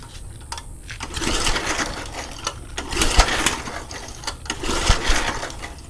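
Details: McLane 20-inch reel mower that sat 20+ years, now running with governor calibrated and working: small engine buzzes with a busy reel clatter that swells and eases with the throttle. Running properly.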